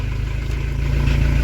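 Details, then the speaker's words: Camper van diesel first restart after new turbo fitted, glow-plug preheated, open exhaust: catches and settles to fast steady low thumping with light clatter, loud; didn't stall, sounds healthy. "je je suis vraiment étonné là il pas calé ça fait pas plus de bruit"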